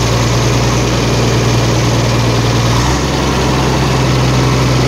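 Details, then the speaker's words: Diesel engine idling after engine oil poured in to clean carbon off piston crowns and cranked to expel it, white smoke remaining: smooth soft even low beat, no stumbling or misses, much softer than before; normal idle. "แต่เสียงนิ่มกว่าเดิมเยอะเลยครับเสียงนุ่มมากครับแต่เสียงนิ่มมากครับเสียงเอ่อไม่ๆไม่สะดุดแล้วนะครับ"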